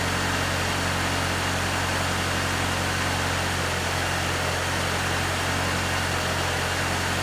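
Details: One-owner 1995 Infiniti G20t, cold start after sitting over 48 hours: smooth, even idle hum and steady low drone with no knocks, ticks or surging; normal cold start idle.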